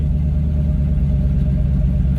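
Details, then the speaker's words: 1986 Ford Mustang GT Fox Body V8, revved once it has some heat in it: a deep rumble settling smoothly from a rev back to an even idle, no hunting or stumble; normal. "And um man, I couldn't be happier. Like I said, comes right back down to idle."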